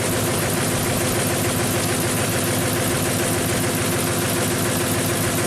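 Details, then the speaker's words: 2008 Ford F-250 5.4 L V8, 219k miles, replacement engine, idling with an uneven loping beat: cylinder 8 misfire from an unplugged or loose coil connector, later secured with a zip tie. "okay that's probably why so now we're missing you should see that on the scanner number eight cylinders misfire"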